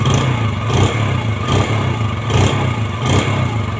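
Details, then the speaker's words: Yamaha Jupiter Z after engine rebuild for ngelitik/ngelotok (pinging/knocking) noise, original piston, new valve stems: even single-cylinder beat with quick clean throttle blips, oil circulating, smooth quiet running, instant throttle response, no pinging or knocking. "Nah ini udah selesai udah aman oli naik bagus suaranya halus lagi dan bisa langsung untuk respon gasnya langsung respon Ya nggak nggak ada lemot bagus"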